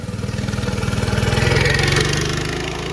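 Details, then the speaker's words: Mini-bike small single-cylinder engine with the original chain clutch, before the torque converter kit: revving to take off gives a loose, clattery rattle over the exhaust thump as the clutch and jackshaft chain rattle around. "You can hear the clutch and the jack shaft chain all rattling around. It's terrible, it's noisy."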